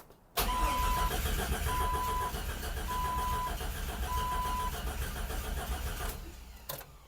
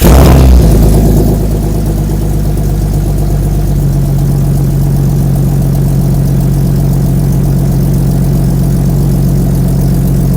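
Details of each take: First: Custom build, 1965 AMC Rambler body on a 2000-ish Jeep Cherokee chassis, cranking: starter turns steadily about four times a second for several seconds but the engine never catches; fuel pump suspected unable to hold pressure, possibly cavitating. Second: Jeep Cherokee chassis (about 2000) under a 1965 AMC Rambler body with Magnaflow exhaust, recorded at the exhaust tip: a steady, deep, even burble with no misses; good oil pressure; normal idle.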